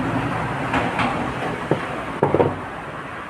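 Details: Honda Dio scooter: low idle chug broken by uneven pops and stumbles, with a few sharp cracks in quick succession near the end; the engine is misfiring.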